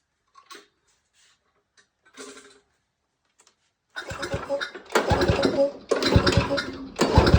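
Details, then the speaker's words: Small lawnmower engine that sat a long time and won't start, spark plug removed, compression gauge fitted; several strong, even pull-cord cranks reading about 100 psi. Normal cranking compression. "Okay, so this is showing about 100 psi of compression. On engines that you pull start, I mean, that's a pretty good compression reading."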